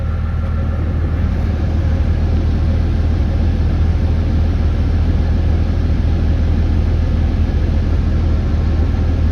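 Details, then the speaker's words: RAM with a new fan clutch, idling as AC is switched on to demand the fan: deep steady rumble with a strong even fan roar, no slipping or surging; the clutch engages and rpm picks up, fixing the warm-AC and high-idle-coolant problem. "okay so that relaxed it now i'm going to turn on the ac which should demand it on and that rpm should pick up"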